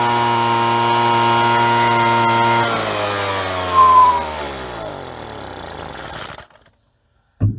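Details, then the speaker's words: Two-stroke with the kill switch disconnected to rule out wiring: it runs evenly, then revs sag and nearly die, a rough idle. Owner suspects very old fuel; spark is lost when it is put back together as before. "Maybe it doesn't sound like it wants to idle so good, but he's probably got very old fuel in there."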